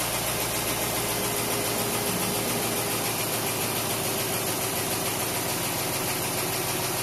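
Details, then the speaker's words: Willys truck first start after a 12-month rebuild, cold workshop at about 14°C, idle settling as it warms: even steady low beat, running on all cylinders with no stuck injectors, no misses or knocks; normal idle. "yeah real quick last time took a good 20 minutes for the idle C now now it's getting quieter sounds like it's running on all cylinders"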